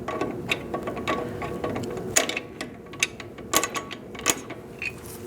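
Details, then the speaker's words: 2004-2012 Chevrolet Colorado drum brake, after wheel cylinder replacement, adjusting shoes with a brake tool: crisp, slightly uneven ratchet clicks, about two a second, as the star wheel turns, showing the adjuster is installed correctly and catching properly. "'t hear that clicking, your adjuster isn't in there right or you're going the wrong way."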